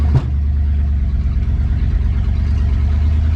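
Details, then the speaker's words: 1963 Ford Galaxie V8 on the road after installing a new distributor: deep, steady rumble with no misses, stumbles or popping; the earlier breaking up and putting is gone, engine running smoothly. "not sure if you guys can tell but it isn't breaking up anymore it's much smoother no more putts"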